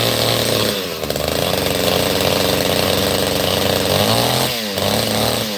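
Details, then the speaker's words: Chainsaw just started after full choke, still cold: saw revs unevenly and burbles off throttle, no crisp note; sounds a bit rich, owner plans to let it warm up before tuning; cause suspected, not confirmed. "That's the way that thing sounded a little bit rich. Maybe I'll let it warm up a little bit."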